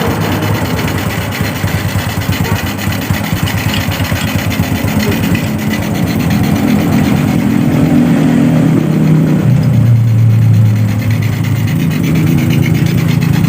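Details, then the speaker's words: Honda Revo Absolute engine just rebuilt, carburetor running without air filter: steady, even single-cylinder putter at idle with light intake hiss, no knocks or rattles; engine now starts and runs normally. "Baiklah, kondisi motor ini sudah normal, sudah menyala dengan normal."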